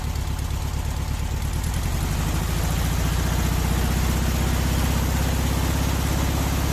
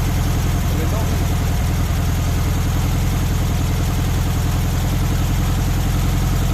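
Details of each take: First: VW Beetle air-cooled engine with weak power, distributor advance out of phase: steady, low, lumpy idle with dull lazy beat; retarded ignition timing, raising temperature above 2000 rpm; advance should be 32° without vacuum, 42° max with. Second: VW Beetle air-cooled engine after distributor timing set with timing light on the pulley mark: steady, even low-pitched idle, regular beat, no knocks or misses; runs smoothly, timing correct.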